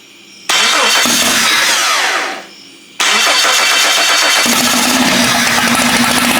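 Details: Jeep 5.0 stroker during pushrod/lifter fix: starter whirs, engine catches into uneven, stumbling idle; exhaust temperatures show the middle cylinder at 220–230 versus 400, not firing. Misfire on one cylinder.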